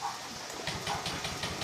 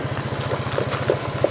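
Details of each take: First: Honda Vario scooter, fuel pump hum heard at key-on, electric starter cranking rhythmically about three beats a second but not firing; mechanic suspects weak battery, will try the kick starter. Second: Honda Vario scooter that was hard to start, after replacing the rotor and adjusting it: smooth, even single-cylinder idle with no stumbles, running normally.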